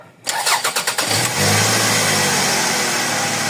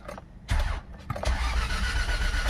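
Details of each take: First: Toyota Previa after throttle body and MAP sensor cleaning, previously hard starting and stalling without throttle: about six quick cranks, catches cleanly and holds a steady idle without gas; no longer stalls. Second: Toyota Previa with hard starting and no idle: it cranks, catches briefly and fades, then fires again and runs rough; it stays running only with slight throttle and dies straight away when the pedal is released.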